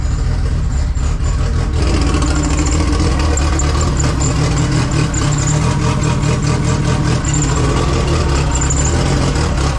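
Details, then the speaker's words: 2G GSX on FuelTech engine management, after fixing CAS crank signal, reducing post-start enrichment and raising target idle: deep, steady idle with even beat, no stumbling or surging; now runs, charging 14.5 V, fuel pressure slightly low. "Yes. Okay, so the car now runs."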